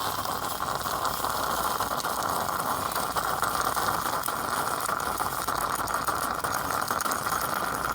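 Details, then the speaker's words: Classic stovetop Greca (Cuban/Dominican style) espresso maker nearly finished brewing: steady hissing, spluttering rattle of steam pushing coffee up through the spout holes; this noise means it's about done, a normal brew-finishing gurgle. "You know it's done when you hear that noise. Means that it's right about finished."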